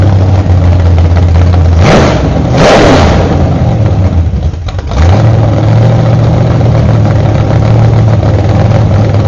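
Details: Freshly built 1968 Camaro Z/28 302 V8 with 30-30 Nostalgia Plus camshaft on open headers without mufflers: choppy idle lope, cuts out briefly, then settles into an even lumpy cam rhythm; normal startup and revving.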